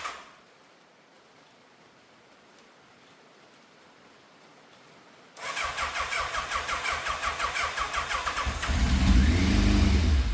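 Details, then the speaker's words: Fire-damaged 41,000-mile Yamaha FZ750, first start after refitting the fuel filter, airbox, carbs and tank. The frayed choke cable was not pulling fully and came off. The starter spins in quick even pulses, then the engine half-catches and roars unevenly, with fuel leaking from the right carbs. "The choke has literally just come off in my hand. I mean, I always knew that cable was a bit frayed, and obviously it wasn't pulling properly all the way, but with that off, very much going to struggle to start this."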